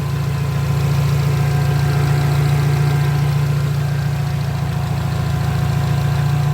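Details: 1993 Mitsubishi Lancer after the A/C wiring and relay were corrected (it had been high-pressuring and the compressor bearing was noisy): steady, even idle hum with the A/C running, no grinding or whirring from the compressor, a smooth low drone.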